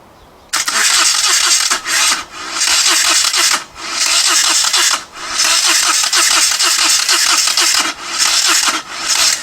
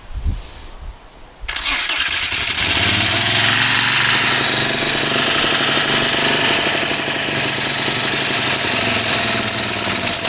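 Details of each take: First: Moto Guzzi twin, not run in over ten years, rebuilt carbs and new starter: starter spins engine briskly in long repeated bursts with steady compression pulses but never fires, not even a pop. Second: Moto Guzzi twin, first start in over ten years after carb rebuild and new starter, no throttle fitted: quiet cranking, then it catches and settles into a steady fast idle with an even beat; sounds good, smoky from old oil in bores.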